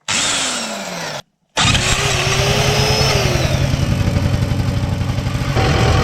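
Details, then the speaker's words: CPI scooter at idle: uneven knocking rattle about four times a second, variator clunking because the crankshaft thread is stripped and the variator nut no longer tightens; crankshaft thread repair to follow. "so now there is a clunking sound from the variator at idle the thread has gone now the nut didn't go on tight enough so the variator started to have noise"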